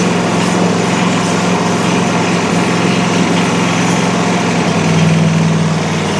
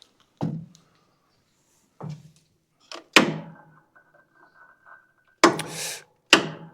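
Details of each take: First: Country Clipper Challenger 52-inch zero-turn mower that would not turn over, found about half a quart low on oil, started after boosting the battery and using carb cleaner: it runs with a smooth, even buzz and sounds surprisingly healthy. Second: Country Clipper Challenger 52-inch zero-turn mower that won't turn over: single sharp clicks a few seconds apart and no cranking. Voltage drops when the starter is engaged; locked engine, bad starter or bad solenoid suspected, not confirmed.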